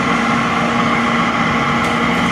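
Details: Oil furnace restarted after running out of heating oil: steady motor hum, constant whine and fan rush with no ignition roar; burner turns over while air is bled from the fuel line before it fires.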